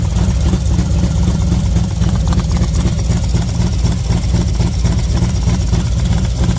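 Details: V-twin motorcycle with SS540 cam and valve springs, idling about 10 minutes warming up at 40°F outside: deep even idle pulse with light intake air sucking, no ticking; healthy, sounds mean.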